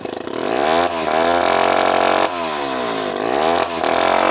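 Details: Vintage Remington Bantam two-stroke chainsaw, started with a little choke for a last run before going to a new owner: climbs crisply through repeated throttle blips and drops back cleanly without bogging; runs healthy.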